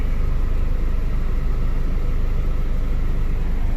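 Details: Freshly prepared K20 engine (75,000 miles) idling after its first start before install; a steady low rumble with an even, settled beat and no knocks or misses. A normal idle.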